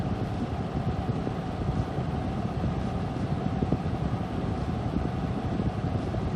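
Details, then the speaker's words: Noctua NF-A14 iPPC-3000 PWM 140mm case fan in a Corsair One i160 PC at its max of about 3000 rpm: even, strong rush of air with no ticking, rattle or wobble, louder than at about 1600 rpm; normal high-speed running. "so you could hear the difference so with the other one a lot quieter because it wasn't spinning as fast i believe that's 16 1600 rpms i believe this is at its max 3000 rpm"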